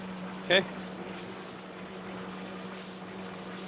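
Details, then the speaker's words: Chrysler Town & Country after installing a replacement alternator: steady, even low idle hum with no whine, squeal or rattle from the charging side; quiet, 14 volts, alternator working normally. "So there you go. There's your alternator on this type Chrysler Town and Country. It's quiet. It's not smoking, and we've got voltage."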